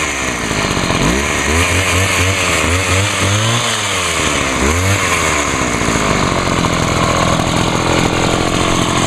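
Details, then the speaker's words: Homelite HT-21 hedge trimmer two-stroke after carburetor rebuild with a kit and Sea Foam soak: fires and revs up and down in smooth swoops, then a steady buzzing run, surprisingly quiet with its small muffler; running normally. "well I'm Ashley surprised how quiet that thing really is got a pretty small buffer on it"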